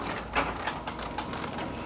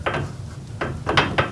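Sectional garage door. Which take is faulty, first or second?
first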